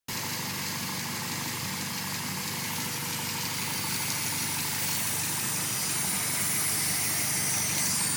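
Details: 2000 Honda Civic Si, B16A2 head on B20 block, at idle: constant airy hiss from a small black part in the engine bay sucking air into the intake manifold; sometimes stalls at idle; capping it with tubing stops the sound.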